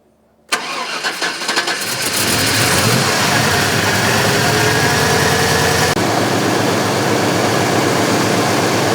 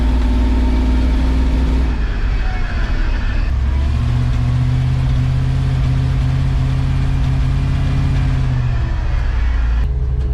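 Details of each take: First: 1970 C10 with 1998 Vortec 7.4L (454) big-block, rough running fixed by replacing old spark plugs: cranks, catches within a second, then settles into a steady, even run with no misses; already running much better. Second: 1970 C10 with 1998 Vortec 7.4L (454), driving under part throttle, running lean per O2 data: occasional sharp exhaust pops and banging, worse with more throttle, uneven under load; misfire from worn, fouled spark plugs.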